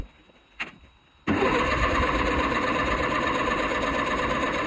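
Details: 50-year-old International 8000 forklift after fitting a 3D-printed wiring part, with another part not yet reinstalled. One short blip, then about five seconds of steady cranking that never catches; engine cranks but won't start.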